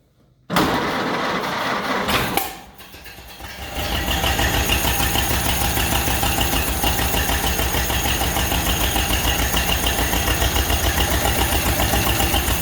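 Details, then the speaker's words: Model A Ford Roadster Deluxe, first run in 37 years after timing set by hand: cranks briefly, catches, then settles into a steady, even low putter at idle with no knocks or misses; sounds great, healthy. "there it is. Model A running. 37 years later. Sounds great."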